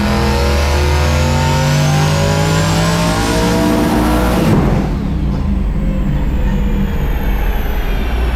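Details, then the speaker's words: Truck on the dyno with a new flex plate: engine pulls hard at high revs, then a sudden break and pitch collapse as the transmission fails under load and comes apart in pieces. "Well, there she went. Another quick ejection of a transmission. This one stayed on the vehicle though."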